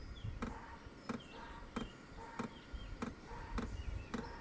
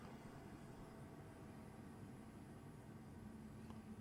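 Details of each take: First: Hcalory HC2 diesel heater, new and on its first automatic startup at setting seven, trying to light. Sharp clicks about every two-thirds of a second over a faint fan hum; it then puffs a little smoke and lights. Finding: normal startup clicking. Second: Hcalory HC2 diesel heater, about two minutes after shutdown from hot running. A soft, steady low whoosh with no knocks or rattles as the blower keeps running gently to cool the unit. Finding: normal post-shutdown cooldown fan run.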